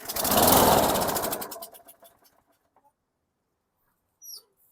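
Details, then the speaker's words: 2008 Craftsman lawn mower, model 126M02 1525 F4, mixed parts, tilted back to feed fuel to carb: fast rising chatter for about a second and a half then dies and won't restart; fuel issue suspected. "nothing okay fired off stalled would not start again so it sounds like a fuel issue"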